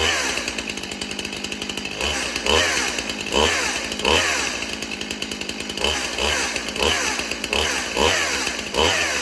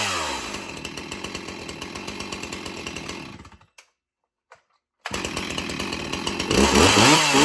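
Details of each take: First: Stihl MS361 Farm Boss chainsaw, 20-inch bar, chain on the wrong pitch sprocket, not held wide open to avoid damage; short rev bursts with a harsh rattling chatter over the engine from the chain riding a mismatched-pitch sprocket. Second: Stihl MS361 Farm Boss chainsaw with 20-inch bar: idles with an even popping beat, briefly cuts out, then restarts and revs cleanly to a high steady scream; runs healthy.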